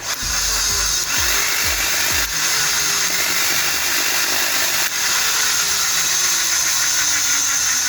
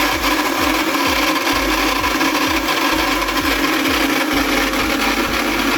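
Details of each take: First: ARSHIA TURBO FORCE 3000 meat grinder after old lubricant was removed and metal gears regreased; smooth even motor whine with light steady gear hum, noise almost gone; normal gearbox running, cause was lack of lubrication. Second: ARSHIA Turbo Force 3000 meat grinder switched on makes a loud harsh grinding over the motor hum, with a rough pulse about twice a second, traced to the gearbox. Gearbox grinding from dry gears.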